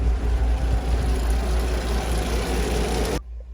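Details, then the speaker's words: 1948 REO Speed Wagon truck in 4th high range, engine at low idle: low, soft, even exhaust burble, real quiet and purring, no knocks or misses; a healthy, quiet-running old engine. "and show you what the engine sounds like when it's at a low idle. Just real quiet, purrs along quite nicely."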